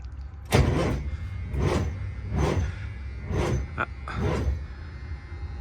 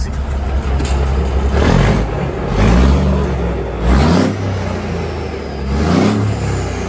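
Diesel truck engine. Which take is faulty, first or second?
first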